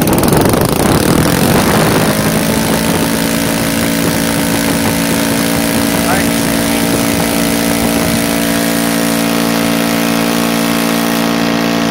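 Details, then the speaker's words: NGH FG-38 engine with CH ignition timed at 30° BTDC, turning a 20x6 prop; at full throttle it gives a loud, steady high buzz with slight hunting in pitch, a mild top-end surge of unknown cause. The owner thinks a couple hundred more rpm is possible. "I don't know if you hear it but at the top end I hear and I feel the engine like he wants to go more and it has a little bit of a surging"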